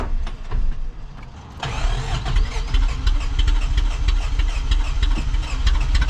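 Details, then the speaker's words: 1st-gen Toyota 4Runner, 22RE, 5-speed, long-sitting, before rebuild, first start attempt with fresh battery and throttle floored: starter churns, engine stumbles into an uneven, lumpy idle with some oil pressure; rough start. "Looks like it's got oil pressure of kinds. I don't know. Doesn't sound good."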